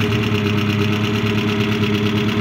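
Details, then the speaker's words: Peugeot 205 Génération 1.4i 75hp petrol after head gasket and timing belt replacement, idling; even smooth firing beat, runs round when revved, earlier whistle on acceleration gone, less noise and vibration. "maintenant on a essayé on a fait tourner on a accéléré ça tourne rond ça fait plus de bruit"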